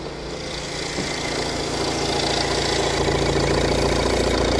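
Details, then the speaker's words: 2019 Vauxhall 1.6 diesel with DPF low-efficiency fault, low mileage, engine management light on: idle with slightly uneven beat and occasional dropped pulse, a miss at idle; cause not pinned down. "oh yeah I don't know if that missing is coming across on camera"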